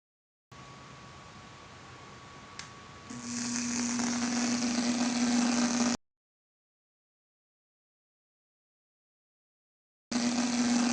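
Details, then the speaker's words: 40 W DIY audio amplifier: loud steady low buzz with harsh hiss, cutting out briefly then returning; noise from power supply faults, such as voltage below the recommended minimum. "Voltagem abaixo do mínimo recomendado resulta em chiados quando se aumenta o volume. Em caso de algum erro na alimentação, tiados serão ouvíveis."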